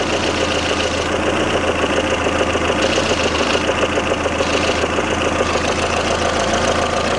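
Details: Lada Kalina 11183 1.6 8-valve, about 70,000 km (odometer doubted), knock appeared when hot after a flush and change to Shell 10W-40: light, fairly regular knock over hot idle, near two per second. Camshaft end play, resolved.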